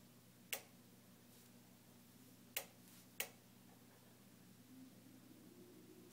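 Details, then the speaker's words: Newly purchased Jenn-Air stove igniter keeps sparking on its own: sharp isolated ticks at uneven gaps, four in six seconds, over quiet room hum; continues ticking after being turned off; repeated repair visits failed to fix it. "I'm going to turn it off and it's continuing to tick how can one focus when their stove has a mind of its own"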